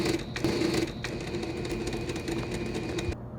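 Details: PS5 model CFI-1216A, five weeks old, disc drive with an object jammed inside that stops discs loading or ejecting: loud whirring and clattering as the mechanism keeps straining and repeating its cycle, trying to dislodge it; drive jammed by foreign object.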